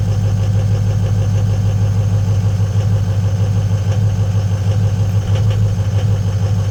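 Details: Ford 6.0 L diesel truck cold start after sitting overnight at about 45–60°F, no check engine lights: lumpy, shaky idle around three pulses a second; bad injector #4, which passes buzz test, additive didn't help.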